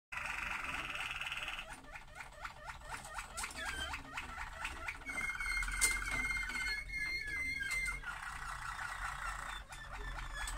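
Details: Rapid clucking in water pipes, about four chirps a second with squeaky pitched tones, from water hammer.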